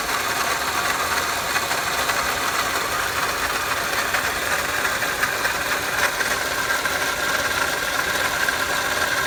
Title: 2005 Pontiac Vibe Toyota Matrix 1ZZ-FE engine noise: Solved, water pump noise